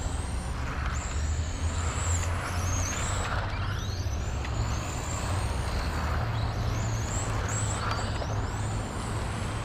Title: Playing with XRAY FK05 13.5T BL. Unique whining noise